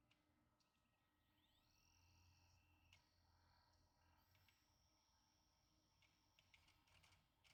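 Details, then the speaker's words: Xbox 360 Fat (likely Zephyr board) disc drive, previously unresponsive and noisy, spins up with a rising whine into a steady high spin with light reading ticks; drive reads a game disc normally. "Yeah, that sounds good. That sounds really good."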